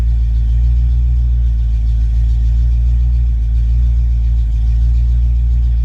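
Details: Ford Mustang Foxbody with rebuilt, tested A9L mass air ECU: steady even low rumble, no misses, stumbles or surges, at closed-loop idle around 800-900 rpm; normal idle.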